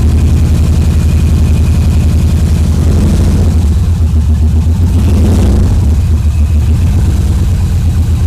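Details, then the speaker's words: Subaru EJ22T with DOHC head swap and RobTune EJ20G ECU, first start: lumpy, wavering idle, missing on one cylinder and running progressively very lean; owner suspects a massive vacuum leak. "yeah it sounds like it's missing on one of the cylinders is we're gonna really [ __ ] lean"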